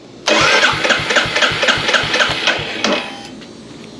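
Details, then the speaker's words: Royal Enfield Hunter 350, about 300 miles, first start after DIY first service and valve adjustment, fuel pump primed: starter cranks in even pulses about four per second and never catches; an ignition coil 2-pin connector was left unplugged. "Oh, it may have just, it's probably starved from fuel. Nope, I forgot a connector. I'll bet it's the front of that coil."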